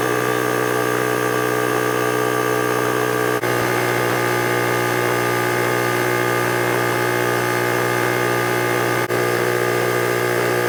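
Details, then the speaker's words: Husky 33-gallon air compressor before repair: the motor keeps droning at a steady pitch past its 150 PSI cut-out to around 152 PSI, until switched off by hand. Faulty pressure switch not opening. "I had to turn this off. You could see on the gauge we were passing the 150 PSI. It was like around 152. This particular compressor should be shutting off at 150 PSI."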